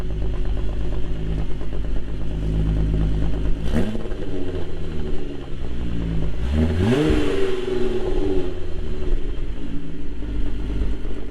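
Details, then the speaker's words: MK3 Jetta GLX 12v VR6 after a tune-up: smooth, even idle with two clean rev blips and no stumble; the earlier misfire is gone and the engine runs much smoother. "Guys, the car's running 100 times better. It's not misfiring anymore. It's super, super smooth."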